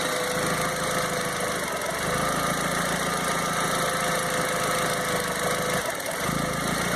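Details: 2001 Volkswagen Jetta 1.8T idling with a steady drone that wavers slightly and dips briefly near the end; owner unsure whether it is a misfire. Rough idle, cause not pinned down.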